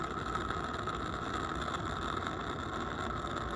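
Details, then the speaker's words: Accucraft Ruby 5 live-steam locomotive, butane burner just lit while cold: even, steady hissing roar with a faint thin tone and no sputtering or popping; burner burning normally. "There she roars. You want to shake it a little bit. Get it warmed up here."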